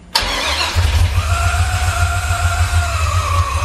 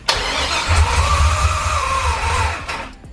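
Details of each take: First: Newly installed 550 hp LS crate engine in a 1999–2004 Mustang drift car, replacing junkyard engines with low oil pressure, first start: starter whirr, quick catch, then a steady even V8 idle without misses. Healthy start and idle. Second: LS crate V8 in a 1999-04 Mustang drift car, first start-up checking oil pressure with injectors unplugged: catches on first crank, runs loud and ragged about two seconds then dies, suspected burning residual fuel, possibly leaking past an injector.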